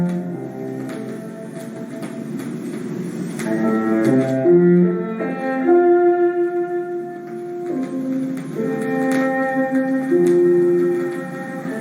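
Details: Classical LP (Beethoven cello sonata, Fournier/Kempff DG set, side one) on a Rega Planar 2 with budget stylus, before cleaning: cello and piano with scattered clicks and faint crackle from grime in the grooves, noisy especially on the lead-in.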